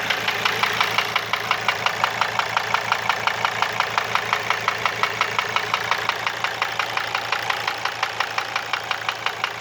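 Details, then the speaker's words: Mercedes W210 2.7 CDI diesel at idle, warming normally: steady, sharp ticking knock at about 113 per minute; persists after replacing hydraulic lifters and injectors, cause unknown. "что-то стучит уже поменял гидрокомпенсаторы форсунки но стук так и не прошёл"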